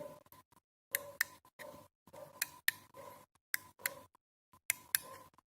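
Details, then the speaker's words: Power window switch, four crisp, firm press-and-release click pairs: the switch sounds healthy. "first of all we can in the first approach we can hear the clicking of the switch"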